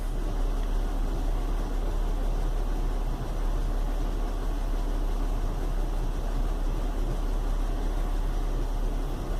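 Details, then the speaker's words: Chevy Venture warm idle after four or five minutes, cool outside: heavy uneven low rumble, no check engine light; rough idle caused by a failed hydraulic engine mount, with no thunk when shifting into gear. "no check engine lights or malfunction indicator lights on but you can probably hear it's got a kind of a rumble to it it's definitely not running too smooth"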